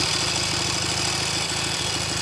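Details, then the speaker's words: Norton Navigator 350 single idling with gearbox fault (no second gear): quick even beat with tinny metallic rattle from the fuel tank rattling around. "yeah that's the tank rattling around making that"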